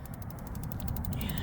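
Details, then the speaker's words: Bighorn infrared propane grill broiler, knob turned to ignite and held down for 15 seconds while lighting outdoors. Quick, even ticking of the spark igniter, about eight clicks a second, over a low rumble as the burner catches and smoke appears. Normal igniter sparking. "Okay, and we're gonna now turn this to the ignite, hold it down, 15 seconds, 2, 3, 4. I can hear the fire going"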